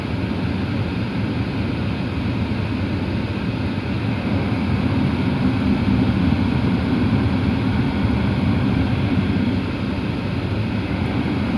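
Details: Porsche Cayenne after climate-control servo motor replaced under the passenger-side console to fix an air-conditioning noise: steady, even blower rush over a low engine hum, no ticking or rattling from the dash flaps; climate system running normally.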